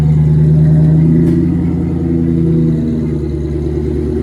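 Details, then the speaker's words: Swapped engine just started after an engine swap: deep throaty engine pulls under throttle with a wet burbling gargle in the exhaust, running fat (rich). "It's fat. I can tell while we roll into it, you can hear it start to gargle."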